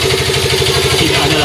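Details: Yamaha Fino 125 scooter after replacing the automatic cam chain tensioner to cure a ticking engine: even, steady idle with no top-end tapping. The cam chain now runs quiet.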